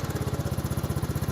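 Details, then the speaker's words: 1984 Honda Big Red 200ES three-wheeler with starting trouble: once warm it idles with a steady, even single-cylinder putter, no misses or knocks. "And then once she warms up, it'll idle and idle."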